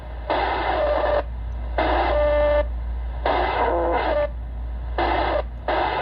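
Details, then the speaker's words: ICOM IC-7100 receiver (issue also affects IC-7300), AM mode, preamp 2, nothing connected, around 11.9 V supply: rough buzzing bursts over steady hum that fade with volume down and worsen with volume up, shifting with supply voltage; interference from PWM switching audio power amplifier, fix is a linear amp. "now watch this if I turn the volume down it stops it's just barely there I turn the volume up gets bad"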